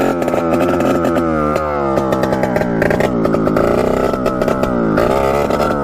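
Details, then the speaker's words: 1989 Yamaha YSR 50 two-stroke, sat for years, carburetor cleaned, bump-started: high buzzing revs stutter and cut out at full throttle, breaking up badly; cause unknown, owner suspects spark, plans new spark plug. "as you could hear it just breaking up really really bad so I'm not really sure what that could be"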